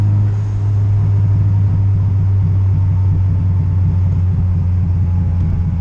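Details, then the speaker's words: Turbo Honda Integra on a Crome anti-lag tune, turbo with lots of shaft play, cruising and spooling at about 2,500–3,000 rpm: a steady, deep rumble with no smoke or odd noises; healthy, though slightly rich up top with some boost creep. "it's not smoking a bunch it's not you know making any weird noise and I mean you coming to boost with it she spools right up"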